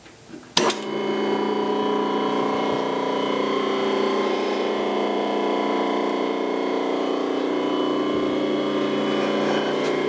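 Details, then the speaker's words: Rotary phase converter after a refurbishment, idler motor rebolted to its base with self-locking stainless M10 nuts; formerly very noisy with an annoying pitch: steady, even electric hum at constant pitch, no rumble, rattle or rocking; much quieter; normal running. "a say it's a lot quieter than it was in the past it was really annoying"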